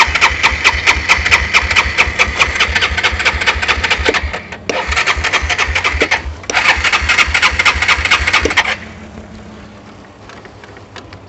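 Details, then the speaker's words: ATV with suspected bad gas, in neutral, choked: fast, rough single-cylinder firing keeps faltering and dropping out, then dies to near silence; won't stay running, carburetor likely needs cleaning. "i think i am going to have to clean this carburetor okay let's get to it"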